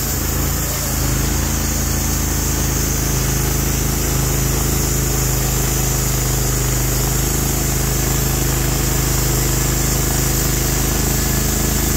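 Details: Norwood HD36v2 bandsaw mill, day two testing new roller guides that replaced the ceramic guides, slabbing big black oak through bark at about 24 in wide: a steady, deep engine drone holds even pitch with no surging or knocking, loaded just as it should be; the cut was flat and effortless.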